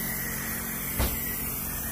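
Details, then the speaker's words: Synapse diverter valve on bench leak test fed 45 psi unregulated air, missing an O-ring with landing appearing unmachined: constant airy hiss with no pressure build, air leaking through the valve seat; diverter valve air leak. "definitely here definitely through the valve seat"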